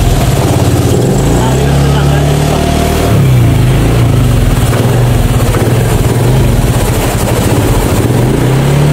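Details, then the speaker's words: Fuel-injected Honda Beat scooter after hard starting: uneven, stumbling idle with dropped beats, misfiring because the air cleaner is still not fitted; misfire from missing air filter. "pumapalya kasi wala pa rin kasi yung clear cleaner niya ayan palyado"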